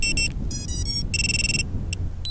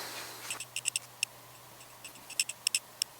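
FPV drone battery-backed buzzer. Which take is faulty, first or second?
second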